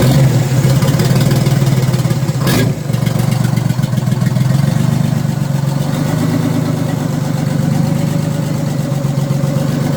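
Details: Detroit Diesel in a vintage abandoned GMC truck after reopening the stuck-shut spring-loaded emergency intake shutoff valve on the back of the blower; brief crank, then deep even diesel clatter settling to steady idle, no misses or knocks; fixed.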